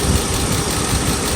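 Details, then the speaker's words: Mercedes S500 V8, first start after timing chain and guide replacement: uneven, stumbling idle with occasional dropped pulses instead of a smooth rumble, a misfire. Owner suspects swapped plug wires; the car then went into limp mode. "plug wire that's the double trace them the knock the chicken is gonna go away yeah definitely a misfire"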